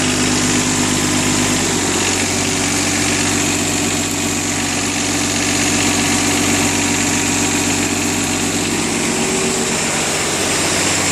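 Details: 1999 John Deere 455 diesel with 135 hours. Catches after a short crank and settles into a steady, even idle with a light clatter; runs smooth and healthy.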